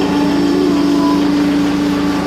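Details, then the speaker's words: Diesel plow machine, cold start in freezing winter-storm weather, warming up: steady mid-pitched whine over an even idle from the hydraulic pump circulating cold hydraulic fluid; normal during warm-up. "Get the fluids all warmed up. I don't know if you can hear it. That's hydraulic pump."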